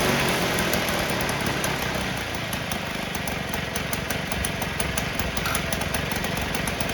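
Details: 1958 Allstate (Sears) Vespa 125cc two-stroke, sitting about a year, first-kick cold start on choke with fresh gas; steady even popping idle about four beats per second, no knocks or misses, running smooth while warming.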